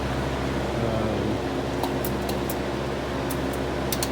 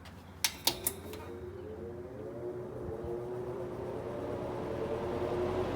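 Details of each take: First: 1958-1959 Lasko-made Senak 20-inch four-blade box fan: steady, soft whir with a low, even tone and no buzzing; the motor runs slow and sluggish, needing oil. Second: 1958–1959 Lasko-made Senak 20-inch four-wing box fan in original box, needs oiling; motor spins up with switch clicks into smooth, even whir, quiet with no buzzing; normal running.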